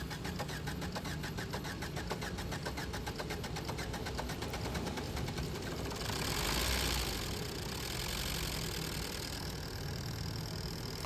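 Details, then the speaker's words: Maruti Swift Dzire diesel after head gasket repair, first start of the freshly rebuilt engine: a long, steady crank while diesel supply fills, then it catches and settles into an even idle. The sound has changed and it now runs healthy. "ಒಂದು ಸ್ವಲ್ಪ long ತಗೊಂಡು, ಯಾಕಂದರೆ fresh engine ಇನ್ನೂ diesel ಎಲ್ಲ supply ಹಾಕಬೇಕಲ್ಲ, ಅದಕ್ಕೆ ಒಂದು ಸ್ವಲ್ಪ long ತೊಗೊಂಡು ಸ್ಟಾರ್ಟ್ ಆಯಿತು. ಆಮೇಲೆ ಸೌಂಡೂ ಚೇಂಜ್ ಆಯಿತು."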